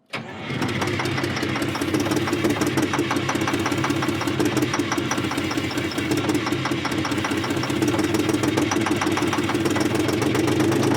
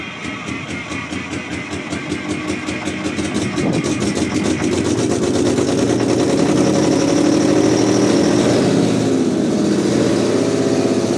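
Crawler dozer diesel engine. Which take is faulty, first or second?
first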